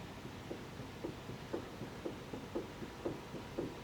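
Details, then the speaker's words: Vintage car with almost no steering play but a split rack boot: worn inner tie rods, mainly on one side, give dull hollow clunks about twice a second as the steering is rocked back and forth. "I do hear some noise in the front end somewhere. So that is the inner tie rods actually that are making that noise. They're just clunking back and forth."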